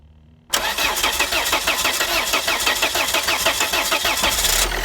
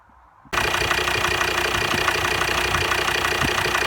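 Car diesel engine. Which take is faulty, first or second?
first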